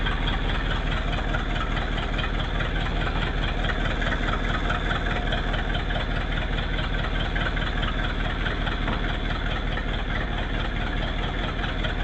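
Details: 1959 Ford Thunderbird V8 that had been starting then dying, with a suspected failing ignition resistor feeding the coil: steady low rumbling idle with even firing pulses and no misses; running smoothly, a normal idle.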